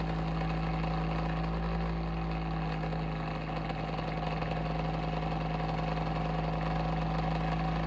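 A steady low drone with a fixed hum tone and a faint uneven flutter underneath; this fan motor sounds off, though the cause is unclear.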